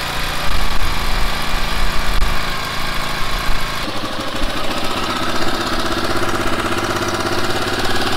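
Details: Honda XL500R motorcycle with XL500 engine, first start after sitting parked a year, fresh fuel: single cylinder catches and settles into steady even idle thump, no misfires or rattles; running healthy.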